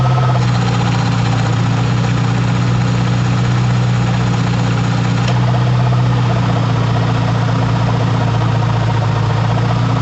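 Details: 2005 Ford F-150 idling: loud constant rough rattle over engine hum, continuing even with the A/C clutch disengaged; owner suspects the compressor pulley bearing rather than the whole compressor.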